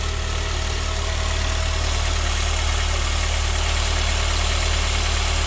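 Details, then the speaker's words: Honda Civic Type R EP3 after throttle body clean, throttle cable off: steady, even low idle, much better, with the earlier hissing gone. "Loads better. Listen to that. Much better. No hissing as well now."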